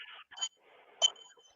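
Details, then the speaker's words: Grinding wheel for sharpening woodturning tools, ring test before fitting, suspended on a pin and tapped: two sharp taps each followed by a clear, high, lingering ring, not a dull clunk; wheel sound, no crack. "the first thing you've got to do is do a what's called a ring test on them so what do is suspend the wheel on a pin and knock it and it should ring"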